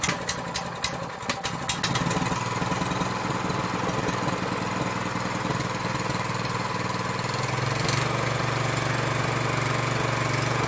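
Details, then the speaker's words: Honda GX200 clone engine, previously surging at idle from a clogged carburetor, after carburetor cleaning starts after a few pulls and settles into a steady, even idle with no surging. "so the engine's running very good now it's not surging anymore the carburetor cleaning has fixed the problem"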